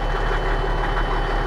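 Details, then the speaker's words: Old mechanical Caterpillar diesel in an auction truck starts easily and settles into a deep, even idle with a steady low thrum and no knocks or misses; normal idle. "oh yeah that's how a truck's supposed to sound good old mechanical cats"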